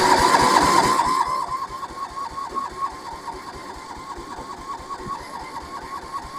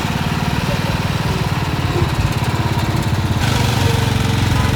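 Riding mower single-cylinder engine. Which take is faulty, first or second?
first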